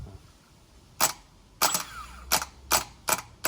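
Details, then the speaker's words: R33 Nissan Skyline starter test: six sharp metallic clacks as the solenoid engages and the starter cranks normally, so the starter is fine and a bad earth (electrical issue) is suspected. "so it's fine yeah so the solenoid is working making the connection and starting the starter so quick and simple test uh tells me that the starter is engaging and cranking up so it's working fine craig"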